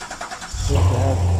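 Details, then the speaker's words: Chevrolet Corvette C7 after replacing all valve lifters for a collapsed AFM lifter that caused P0300 misfire and valve train noise: starts after a brief crank, smooth even low idle, no ticking or misfire; fixed. "okay now the engine is running without any fire and without any noise we have we had a fix"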